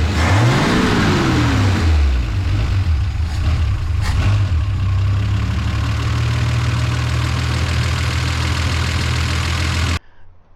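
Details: Original slant-6 barn find with its 53-year-old accelerator pump, idling after the idle jet was adjusted; it blips, then settles to a smooth, steady, even low idle with no misses, ready for timing. The carb's needle and seat are still suspected bad.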